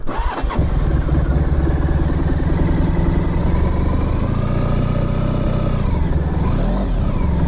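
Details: Honda ST1100 motorcycle after a full restoration (exhaust painted, wheels balanced, brakes redone), cold start on choke. It catches quickly and settles into a steady, even low idle with no knocks or misses. Normal, healthy cold start.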